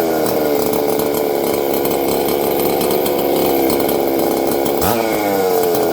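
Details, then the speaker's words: Husqvarna ported saw with opened muffler, running on a bench; hard, high-pitched snarl held steady at high revs with a brief dip near the end, loud but healthy. "There we go. I haven't run this thing in a while. You guys can hear it. It's loud."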